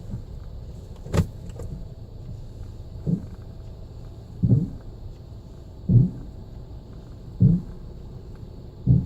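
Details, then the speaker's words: Brakes, forward or reverse: a low squeaking, scrunching creak about every 1.5 seconds only as the brake pedal is released and the calipers retract the pads, not while slowing. Pad drag is suspected, unconfirmed. "It'll stop, but as soon as you take your foot off the brake and the calipers, retract the pads, it makes that squeaking, scrunching noise, right?"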